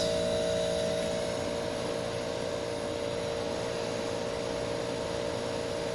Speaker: Listen to that AE on a quiet night. That sounds beautiful. I could listen to this all night.